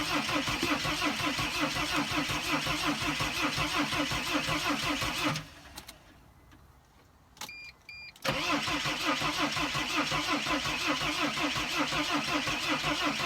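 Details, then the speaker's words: Mercedes Sprinter van, cranked in neutral after the crankshaft position code was erased; steady fast cranking, a short pause, more cranking, never fires. Crankshaft position code keeps returning although the crankshaft sensor was reportedly already replaced: crank, no start. "well guys obviously it's not starting the cran shift position code for some reason keeps coming back"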